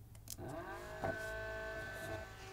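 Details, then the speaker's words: APC Back-UPS 1600VA (BX1600MI) stock ADDA fan, microphone moved closer: steady hum with clear whistling tones, much louder than the replacement Noctua NF-A6x25 but with stronger airflow; annoying vibration. "well. I think you can hear it. It's much louder. It's much louder. However, the airflow is much stronger as well."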